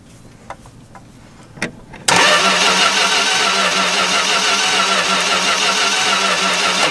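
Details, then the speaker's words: 1964 car with a freshly installed 318 poly-head engine that cranks but won't start. Strong spark was seen earlier, but at this plug wire there is no spark while steady cranking continues; that one wire may be bad. "alright so we got no spark [Music] nothing happening there"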